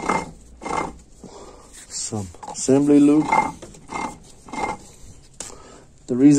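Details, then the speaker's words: A604/41TE transmission from a 1999 Mitsubishi Eclipse GS during home rebuild, output shaft and differential turned by hand. Slow, uneven clunks and rattles because no gear is fitted on one side yet. "is that doing like that because it's not there's no gear on this side so that's why it's making that noise"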